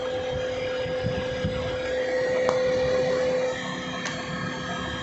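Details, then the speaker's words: 10-year-old Maruti Suzuki Swift diesel, key on, engine not started, heard from engine bay: steady whirring rush with constant tone; radiator fan running continuously at full speed, diagnosis pending via scanner. "चाबी को on करते हैं पहला। और यहाँ engine की तरफ देखो, अभी फैन की ज़ोर से घूमने की आवाज़ आ रही है।"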